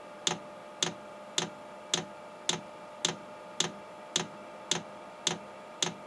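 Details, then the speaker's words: 8 kW Chinese diesel heater at first startup on 11.2 V supply: sharp even ticks about once per second, nothing else running; fuel dosing pump priming normally while drawing fuel up the line. "okay i hear it clicking now this may take a minute a long minute to pull that fuel up"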